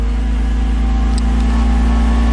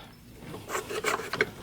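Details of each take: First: 1991 Mercedes-Benz 300SL (R129) at idle after fixing a loose alternator pulley that caused knocking and grinding; with the belt back on, a steady, even low hum with no knocks, squeals or chirps: normal idle, noise gone. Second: 1991 Mercedes-Benz 300SL (R129) with a horrible knocking and grinding traced to the alternator: with the belt off, the hand-turned alternator pulley gives a dry rasping scrape with irregular clicks. The pulley is loose on the shaft and the fan also appears unattached; the bearings are fine.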